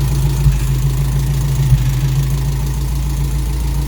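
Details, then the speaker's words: Toyota Corolla KE55 4K-C after first start, vacuum lines refitted uncertainly. Steady low, even idle with no misses or knocks, idling not bad; ignition timing still needs setting with a timing light. "but that's awesome we got the car idling and it's idling not bad"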